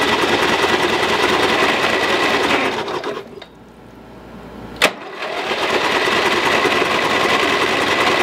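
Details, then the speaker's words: Lowe's 1442 mower, 14 hp, bought with a locked engine; freed with good compression but fuel pouring from the exhaust: fast, rattly chatter as it turns over, pause, then another run; rough cranking. "but the good thing is that the motor is unstuck it sounds bad but it's unstuck we can fix it now"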